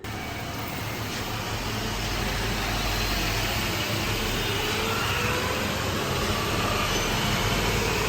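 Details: 2018 Honda Civic CVT after drum, shaft and belt replacement, car on lift in drive: smooth, even transmission hum with no whine, grind or knock; normal CVT operation, oil level not yet topped up.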